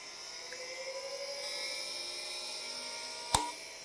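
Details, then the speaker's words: Old CDC SCSI hard drive on a SCSI card, spinning up only once the SCSI BIOS loads: several thin whines climb smoothly like a rocket, ending in a sharp click; a healthy drive coming up to speed. "and you can hear it kind of taking off like a like a rocket ship there and it does come up"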